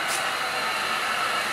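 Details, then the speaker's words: Cold morning around 59°F, engine running, oil leak being investigated: steady loud rushing roar with heavy hiss from the radiator cooling fans (two fans), louder than it should be. "that noise is like a boy for fans pick I don't almost cold weather make this banjo a career dance is so loud that noise"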